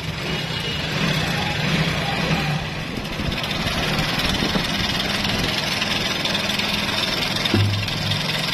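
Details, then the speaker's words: Honda Pridor motorcycle whose engine sound had changed noticeably: a busy, clattery metallic rattle over the idle. The timing chain was found very loose and is being replaced. Timing chain rattle. "अब इस bike की engine की आवाज काफी ज्यादा तब्दील हुई customer हमारे पास आए तो हमने इसको चेक किया तो हमें इसकी टाइमिंग चैन का प्रॉब्लम लगा"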